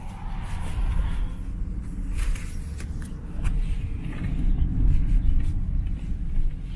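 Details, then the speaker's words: BMW N55 after replacing the front and rear crankshaft seals, belt refitted and oil changed, on a test drive pulling away: steady low engine and road rumble with no whistle or hoot; fixed. "I would say that's fixed."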